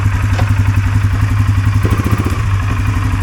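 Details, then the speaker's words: 2023 Polaris Sportsman 570 ATV after repair of high idle near 2000 rpm that made shifting hard, throttle position sensor removed and refitted: steady, even idle at about 1350–1400 rpm, no surging, doesn't run away in gear; fixed. "doesn't run away on you when you put it in the gear. That's right with the RPMs that you want."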